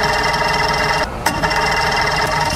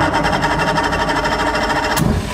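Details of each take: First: Mercury Force 120 four-cylinder outboard, dead 12 years, cranked on earmuffs without starting; a raspy, steady whir keeps going with only short breaks as the starter stays engaged and won't disengage. Owner suspects the carburetors need cleaning or rebuilding. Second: Mercury Force 120 outboard dead 12 years, fresh gas and oil, in neutral, compression about 121 on cylinder one: quick even pulsing as it catches and runs cleanly a couple of seconds; starts and runs normally.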